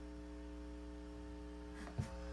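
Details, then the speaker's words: Circa-1972 Fender Silverface Bandmaster amp, noise complaint, volume turned up; steady low hum with even overtones, unchanging, measured about 60 Hz on scope; mains hum suspected from faulty normal-channel input jacks. "So that's a 60 hertz hum."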